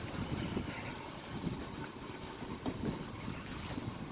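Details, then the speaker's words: 1998 Toyota Camry V6 with a newly installed Viper 4105V keyless remote start, started by remote with the doors still locked: steady, soft, even low idle rumble with no knocks or squeals, running normally on its own. "the car start it up and it's running by itself"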